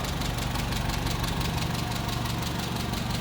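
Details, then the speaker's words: 1959 Hillman Husky sedan delivery, 1,390 cc inline four, 12-volt system, heard at the open engine bay: low, steady purring idle with even beat, no knocks or misses; normal idle. "Purring right along again. 1,390 cc's inline four cylinder."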